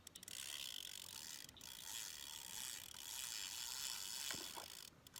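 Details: Old fishing reel while reeling in a bass on a Jitterbug: fast light uneven ratchet clicking about four a second; angler attributes it to the reel's age, not the drag.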